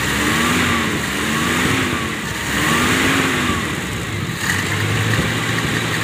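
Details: Toyota Kijang that would not start because of a burnt ignition coil, after restoring spark to the coil: engine catches, revs up and down a few times, then settles into a steady, even idle. Normal idle.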